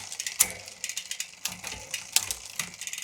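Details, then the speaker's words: Shimano XTR 11-speed MTB drivetrain on a stand after B-screw adjustment cured rattling on the largest cog: light even freewheel ticking with crisp clicks as chain settles on the big cog, no rattle; smooth rear shifting. "that's really good actually this whole thing is looking really good right now"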